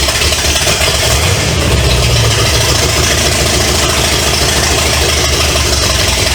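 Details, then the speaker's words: 1970 Pontiac LeMans, Pontiac 350 V8, run after decades sitting, on two-stroke mix fuel, water pump not yet fitted, oil pressure unchecked: loud, even V8 rumble, no misses or knocks, sounds powerful. "at least we know it runs and it sound like it's got power"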